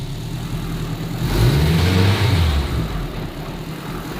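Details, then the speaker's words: K24 turbo Honda Civic race build, test drive in first gear with freshly overhauled manual gearbox and new bearings: smooth rev rise and fall, low even drone, no gear whine or bearing growl. "I already don't hear a low gear from the gearbox. You used to really hear a lower sound, bro."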